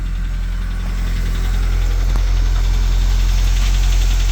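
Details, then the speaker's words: VW Jetta after reconnecting the forgotten PCV valve: light, fairly even ticking rattle about 200 per minute over a steady low idle, cause unknown; an oil leak later appeared to come from the balance shaft tensioner. "still have a little bit of a rattle that sounds like a I don't know"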